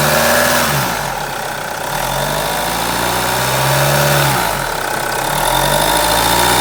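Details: B20DTH diesel idling, droning from under the bonnet: steady low hum with a droning tone that swells and fades every few seconds; source not pinned down; engine bay drone.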